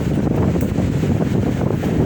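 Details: Arno fan after replacing the capacitor, which had left it weak and slow with little airflow; strong steady rush of air with no wobble, scraping or hum dropouts; fan running evenly at full speed, repaired.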